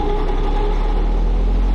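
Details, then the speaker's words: AAON rooftop HVAC unit with thermostat and VCM-X module bypassed, low on freon (low suction pressure); constant hum with steady mid-pitched whine over the condenser fans, fan motor bearings worn and expected to fail next. "to those bearings yeah go well that'll be the next thing it's gonna go bad on this is those bearings"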